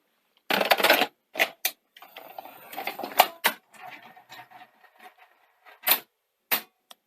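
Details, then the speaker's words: 1982 Sony SL-C6 Betamax after a deck overhaul with new belts and idler tyres and a metal clamp on the loading ring gear: crisp clicks and short clunks as the tape threads, with no grinding. Loading sounds great. "so that sounded great"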